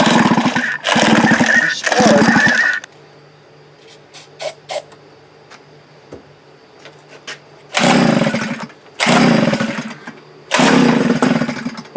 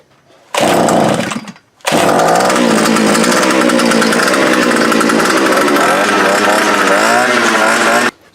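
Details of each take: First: Post-hole auger after new fuel primer bulb and tank repair, ran badly before: ragged, uneven revving bursts dying between; carburetor fault later found, rough running. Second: Fence-post auger's small two-stroke, after replacing the broken fuel primer bulb, fuel lines, carburetor and spark plug: revs up crisply and holds a steady, even buzz with no stumbling or misfire; throttle cable being adjusted; running properly.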